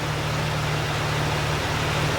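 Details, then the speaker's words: Jeep TJ Wrangler after swapping its knocking original engine for a lower-mileage 4.0, driveshafts disconnected, warming up with good oil pressure: smooth, steady low hum, no knock or tick, much quieter. Some smoke from WD-40 and paint. "but no more knock. The engine runs so smooth now, and it's so much quieter."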